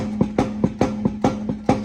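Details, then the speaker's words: 1971 Cutlass, passenger-side rear axle moving in and out 1/8 to 1/4 inch, wheel off ground, driver side tight: sharp uneven clunks about four or five a second; likely axle shaft end play, bearing or retainer plate to be inspected. "It's moving in and out about 1/8 to 1/4 inch in and out. That can be a couple of things. We'll have to check the bearing, the retainer plate, see if it's loosened up or if there's some kind of worn part there."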